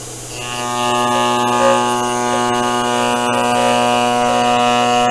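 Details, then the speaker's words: Sainsmart CNC 4040 Pro as overhead router: steady high whine with even tone, no dip or bogging as the cutter bites; cutting cleanly without effort. "Okay, and as you can see, that's just started to take it off. We're nice and sweet on the cut, no effort,"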